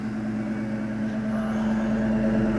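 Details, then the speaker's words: Ford Mustang GT V8 after about three months of sitting, just started in neutral: smooth, even idle with a steady low hum and regular exhaust pulses, no misses or knocks. Normal, healthy idle. "know if the camera is picking up that sound well that's what it sounds like pretty healthy like I said"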